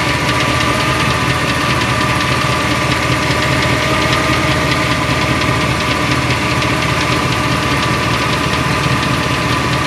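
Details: 2002 Silverado 4WD with 8.1 V8 and Allison 1000, new flexplate, converter and bolts under 1000 miles: sharp light ticking about two to three a second at idle, located in the bellhousing. It is absent at the block and oil pan and faint on the transmission housing.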